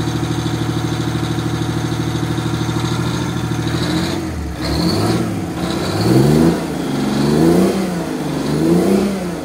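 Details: 1989 Grand Villa with two-stroke Detroit diesel, just started, one battery dead and charging: steady even idle, then smooth rises and falls in revs with no knocks; healthy running.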